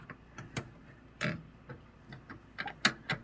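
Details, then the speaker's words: Fantastic Fan roof vent in a 1999 Lance 11'6 camper on a 1995 Ford F350, on shore power after six months parked: quiet, uneven clicks with no motor hum, and the fan never spins up; owner suspects a bad temperature sensor. "I've got one of these fantastic fans and the temperature sensor so if I turn this thing on it doesn't come off on I think the temperature sensor is no good I can hear it clicking yeah"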